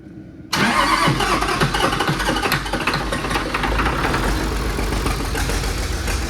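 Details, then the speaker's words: Allis Chalmers D17 Series One tractor after fuel pump install, cranking on starter box with ether: labored uneven chugging that never catches; owner suspects low compression. Cranks but won't start. "It actually just got low compression. Crank it again."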